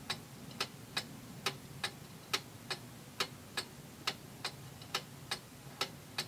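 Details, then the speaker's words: Antique Seikosha wall clock movement after reassembly, during beat adjustment with the crutch wire slightly off-centre: crisp, evenly spaced ticks at about seventy a minute with equal tick and tock spacing. It is running in beat. "Okay, that sounds good, and this crutch wire is actually not exactly in the middle of where the pendulum hangs, so I'm just going to bend that back a little bit this way."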